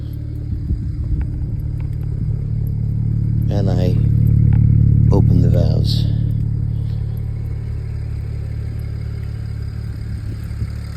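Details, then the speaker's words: BMW 335 N54 on MHD tune with exhaust valves open, after fixing faults from a short to ground and dead battery; low even exhaust drone swells on a light rev and settles smoothly, no ticking or misfire, healthy. "Yeah, buddy. She sounds good too. She's on the MHD1."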